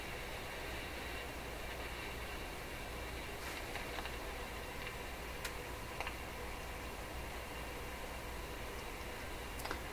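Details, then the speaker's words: Rogers 11RA651 tube shortwave radio, all paper capacitors replaced, warming up on AM band: steady hiss and low rumble with sharp crackles, still noisy; cause unknown. "Okay, let her warm up. Still noisy."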